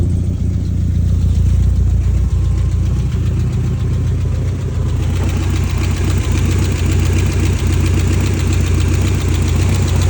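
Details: 1989 BMW E30 M3 with S14 engine: a lumpy idle with an uneven, pulsing stumbling beat, pointing to a possible misfire.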